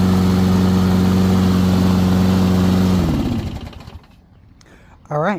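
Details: Toro Recycler 22 electric-start mower after battery recharge, spark plug regapped from 45 to about 30, new primer bulb and filter; small engine holds smooth steady hum about three seconds, then winds down cleanly, running evenly.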